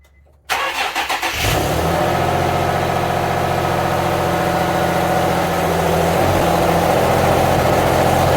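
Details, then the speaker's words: Nissan V36 G35 first cold start in a 68°F garage after engine work with fresh oil, filters and coolant: starter whirs, catches to a fast cold idle with slightly uneven lumpy pulse; mild misfire, plugs to be checked. "so we started the g up um started fine had a bit of a misfire going on i'm going to actually pull it back apart check the plugs because i didn't do that while i was in there"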